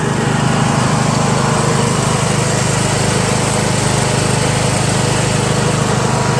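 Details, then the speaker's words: Yard Machines MTD lawn tractor, 20HP Briggs single-cylinder OHV, CVT, test ride after magneto bypass and deck repair, running low on fuel: steady, even drone under load, no misses, knocks or surging; smooth, good acceleration. "very smooth very good tractor even though it's a pain in the ass to work on runs nice to feel the horsepower smooth"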